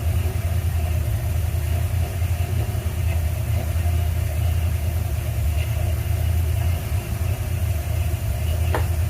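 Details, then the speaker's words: 1977 Ford F100 with 351M V8 after replacing a bad 2-barrel carburetor, truck sat over a year: steady low rumble, even beat, no knocks or misses; idling okay, though fuel leaks from accelerator pump area. Normal idle. "all right well good news is we got it running sounds like it's idling okay"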